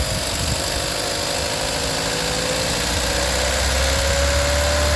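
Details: VW 1.4 TSI (CAXA) engine idling with a fast, steady clatter of about four ticks a second and rough idle; timing chain rattle from a broken chain guide with skipped teeth, later fixed by replacing the timing chain set and oil pump.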